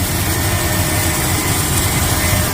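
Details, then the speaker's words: 1995 Chevy Suburban after full fuel system restoration with new gas lines and tank, first start and run kept short pending a water pump: smooth, steady low rumble with an even beat, no knocks or misses; normal idle. "got some guys guys and she runs We're not gonna cut it off for too long because still got a little water pump"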